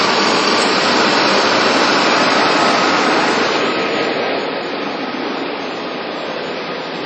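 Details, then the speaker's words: 1999 Ford Ranger 3.0 after camshaft synchronizer and sensor replacement: engine starts and settles into a steady, even idle with a smooth hiss, no knocks or misses. Normal idle. "She started up. Started her up. Seems to be running just fine."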